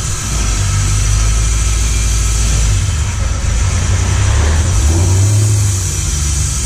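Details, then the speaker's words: Lincoln Mark VIII V8 converted to manual transmission, just running after the swap with fresh clutch, revving in garage: uneven metallic scraping rattle rising with revs from the bellhousing area; owner suspects the flexplate or spacer plate, unconfirmed. "oh it's the hold on it's the flexplate I don't know why I don't know what changed it sounds like the flexplate no not of the spacer plate sounds like the spacer plate"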